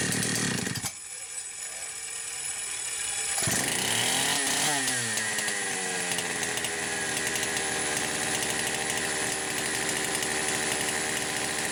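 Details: Poulan Pro 525 chainsaw (essentially a Pioneer P52) with a governed carb, run after carburetor gasket repairs. It settles into a fast, steady, buzzy run that never drops to a low idle, even with the idle speed screw backed fully out: high idle, cause unclear.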